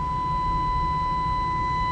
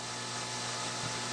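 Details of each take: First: Philco Model 20 radio under restoration, new audio transformer fitted, frequency generator fed in; clean steady test tone through speaker, no hum or distortion, few clicks near end. 80 tube voltage low, 50-60 V at detector still suspect. Normal audio output. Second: Philco Model 20 radio during alignment with the signal generator on: steady low hum under a loud even hiss, unchanging throughout; unwanted hum in the set, source not yet found.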